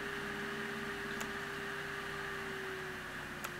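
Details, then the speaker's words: Mendel90 3D printer with Azteeg X3 controller, capacitor-and-diode fan speed mod: cooling fan hum with soft airflow hiss eases lower as the host software slider reduces speed; fan runs smoothly, stalling only below about 18-20%. "But now to demonstrate the slider output control in action, as I reduce this, you'll hear the fan volume"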